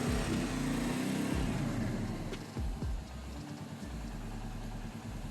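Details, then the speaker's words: Royal Enfield Meteor, about 2–3 years old, that wouldn't start after sitting two days, running on a replacement battery: a steady, settled single-cylinder idle at about four beats a second, no misses; only the ABS light shows. "വണ്ടി start ആയി mall ഫെക്സ് light ഒന്നുമില്ല എബിഎസ്സിന്റെ light മാത്രമേ കാണുന്നുള്ളൂ"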